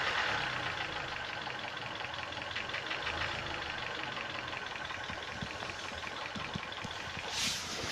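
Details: 2012 Korean-market Hyundai Sonata, 126,800 on the odometer, converted from LPG to petrol and back to LPG, running on gas: at idle there is a busy, uneven ticking and knocking with no steady rhythm. Engine knocking; the owner suspects the timing chain.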